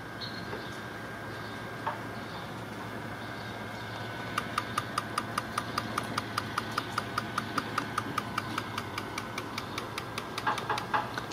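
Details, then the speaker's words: Six-cylinder car, engine off, scan-tool injector actuation test: crisp, evenly spaced ticks about 2.5 per second as the fuel injector opens and closes; normal injector operation. "when I activate the test you will hear the clicking and you can definitely tell that this injector is opening and closing"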